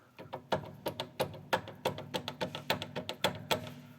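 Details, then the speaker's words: Mercedes-Benz W123 rear suspension, rear half-shaft pushed up and turned by hand: sharp metallic knocks, same on both sides; owner unsure if wear is in the half-shaft splines or hub. "И получается, если вот так крутить, есть вот такой вот шум."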